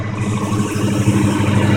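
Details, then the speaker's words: 1992 Fox Body Mustang idling just after an oil and pre-filled filter change, run to circulate the new oil: steady, even low idle with no knocks or ticks; sounds good and healthy. "That sounded pretty good. And that motor looks clean."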